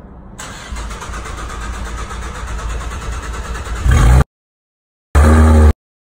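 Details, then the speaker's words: V6 Camaro with a stage 3 supercharger, starting the day after a clicking sound appeared: the starter churns in uneven pulses for about four seconds before the engine catches and revs; start hesitation, owner unsure whether it comes from the tune. "but I noticed that the car had a little bit of a hesitation when I started it the next day"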